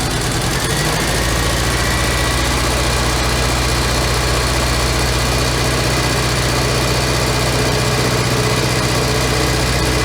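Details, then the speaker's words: 1985 Merkur XR4Ti just restarted after upper intake reassembly; loud, lumpy, uneven idle, running rough; white smoke, which the owner suspects is coolant burning since a cylinder was filled with coolant. "should leave that in the belt there it's kind of idling like a b right now but long"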